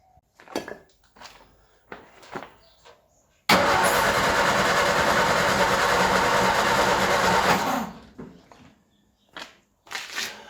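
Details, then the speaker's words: Ford Escort neglected 14 years, fuel pump leaking so carburettor bowl filled by hand before cranking: steady cranking churn about four seconds, never catches; owner thinks he flooded it. "I might have flooded it a little bit."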